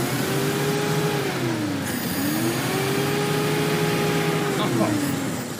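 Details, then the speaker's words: 1966 Pontiac Tempest overhead-cam six, revived after sitting about 30 years and treated with carburetor solvent for sticky rings: it revs cleanly up and down twice with no knocks or misses and doesn't get hot, though it smokes a little; owner suspects cylinder number three. "runs like a Swiss watch. And I ain't kidding you."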